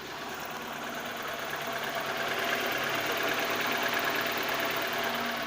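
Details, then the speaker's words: VAZ 2109 cold start: light, quick metallic tick at idle, about three per second, disappearing once coolant reaches 80–90 °C; camshaft knocking suspected, not confirmed; cold-start ticking at idle. "всем доброго дня это хотел узнать при запуске автомобиля ваз 2109 да вот запустили посторонний звук в двигателе сейчас вот если будет слышно"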